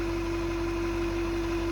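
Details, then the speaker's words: 2023 Chevy Silverado 2500HD, 6.6 Duramax diesel, 800 miles, cold start at about 30°F: steady mid-pitch whistle over a smooth idle every cold morning. Owner feared a fuel pump but suspects the closed grille shutters; unconfirmed. "so it's about 30 degrees out right now as you can hear that whistling noise in that"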